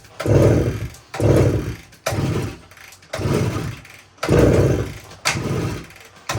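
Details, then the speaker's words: 1972 Suzuki TS185 two-stroke, about a month after purchase, fuel valve on, key on, choke: six kicks, each a short chuff that dies at once, never catches; compression test still very low even with head gasket ring, rings likely worn out. "so I'm not having any luck getting this thing to run uh so I decided to run another compression test here and looks like we're still really low"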